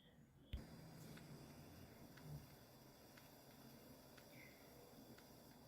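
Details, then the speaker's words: Trash-picked Dell Optiplex GX150, 250 GB upgrade hard drive, "drive 0 not found": thump at power-on then faint ticks about once a second, no spin-up whine, spun once then stopped; stuck drive (stiction), couldn't be freed. "that that's the sound of a stuck drive and it doesn't seem like i'm going to be able to get it unstuck because i've tried nothing i try works"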